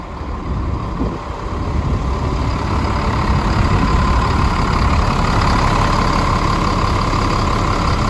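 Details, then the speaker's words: Caterpillar 3126B diesel in a 2000 Holiday Rambler Endeavor, 92,000 miles, just started after oil pump and bearing replacement for low oil pressure: steady, even clatter settling into a smooth idle with no knocks; oil pressure now higher. "Yeah, it sounds great. There is absolutely nothing to complain about in that sound. Sound of cat power."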